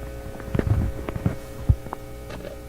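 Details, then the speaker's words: Nordmende Elektra F13 valve radio with fading output, on a current-limited supply: low steady mains hum turning grittier with more harmonics and a few crackles; output stage seems fine, fault suspected higher in the radio stages. "okay now we're just listening to the hum here's the grittier one"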